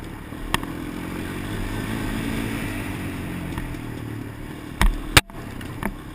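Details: GoPro Motorsport edition camera mounted on a helmet while riding a motorcycle: a few sharp, irregular clicks over steady engine and wind rush, seemingly from the camera itself. Clicking noise sent to GoPro customer service for evaluation.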